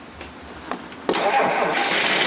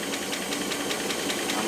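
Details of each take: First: Rolls-Royce Silver Cloud III fail-to-proceed, after fitting a new ignition coil (previously misfiring intermittently): short crank, catches and settles into even, steady run with all cylinders firing; a remaining tapping possibly from hydraulic lifters. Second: Rolls-Royce Silver Cloud III, towed in for fail-to-proceed, running after coil/points work: light regular ticking about five per second over a quiet idle; tapping very common on these, usually but not always hydraulic lifters on the cam, may go away in time.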